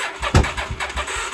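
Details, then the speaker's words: 1983 Honda Shadow VT750C 750, first start after sitting, auxiliary fuel tank to carburetor, choke on: uneven puffs and coughs a few times a second, never settling; weak battery keeping it from firing properly. "there's some spots there we go they're starting to sputter I think we're already past the point of uh killing our battery start"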